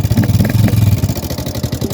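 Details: Yamaha Sniper 150 taken to several shops without finding the cause: loud clattery mechanical rattle over the engine's pulsing beat, far noisier than a healthy single; source not pinned down, excessive engine noise.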